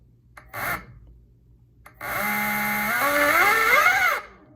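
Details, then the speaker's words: E-bike hub motor on a mismatched controller, wrong phase/hall wire combination, light throttle: harsh buzzing whine rising in pitch with throttle, far too loud; wiring combination incorrect. "If you hear it's too loud, it runs, but it's too loud. See, that's not good. It appears to be running, but it's too loud, and that's not good."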